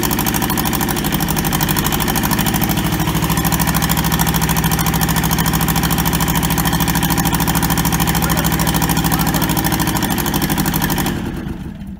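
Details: Toyota SDK4 skid steer diesel, restoration project, after first successful start; even regular idle about two hundred pulses a minute, steady until shutdown; runs healthy.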